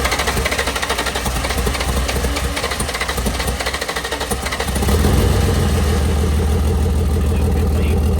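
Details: VL Berlina turbo build being cranked after coil changes and fuel-pressure worries: even cranking pulses about five seconds, then it catches and settles into a steady smooth idle; starts and runs normally.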